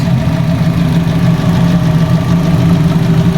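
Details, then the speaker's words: Fiat 500 petrol engine at idle just after first start following a timing belt replacement, idling steady, smooth and even with no knocks or ticks; some steam from oil residue on the engine; cooling system still to be bled; normal healthy idle. "Actually sounds really sweet. It's a bit of steam from, and it's a bit of, you've got to remember there's a lot of oil residue on this car. Sounds good, guys."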